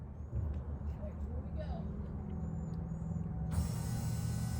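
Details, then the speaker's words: Box truck with a no-start, after handling chafed, bare wiring harness: steady hiss-like whir switches on abruptly at key-on as the fuel pump primes, then it starts; suspected cause is a short in those wires. "you hear that that's the fuel pump firing up fire it up it's gonna start there she goes"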